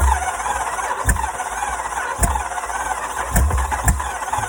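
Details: Jeep Grand Cherokee 5.7 L HEMI V8, hydrolocked, cracked, rod knocking, with mud-contaminated oil: grinds over on the starter with heavy, uneven thumps and never starts.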